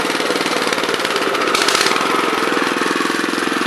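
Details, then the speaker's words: Honda FR600 5.5 hp tiller, unknown year and history, choke fully off: uneven stumbling single-cylinder sputter, about three beats a second; runs fine at half choke; owner suspects cleaning or adjustment needed. "chokes all the way off so if i give it some choke it it won't sputter like that"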